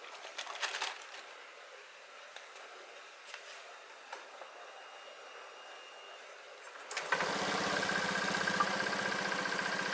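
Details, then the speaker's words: Honda Beat scooter CVT after replacing worn, dirty bearings that caused droning on throttle and deceleration: starts and settles into even idle with no droning hum from belt drive; CVT running normally after repair. "ya Suaranya yang apa ya berdengung itu udah nggak ada ya"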